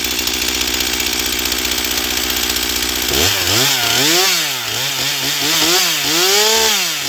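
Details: Stihl MS241 C chainsaw with computer-controlled carb, after Seafoam, dull chain, cutting pine: two-stroke screams at full throttle, pitch dipping and recovering smoothly in the cut; normal strong high-speed running, though starting remains problematic.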